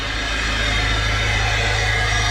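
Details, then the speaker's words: Turbo car losing boost, standard air filter, with the EVAP purge valve pipe pulled off at idle: loud constant airy hiss over the idle, air leaking through the failed purge valve, not the diverter valve. "he said to me pull off this pipe see if that's making a noise that's the eva purge valve thing right guess what it's screaming loud"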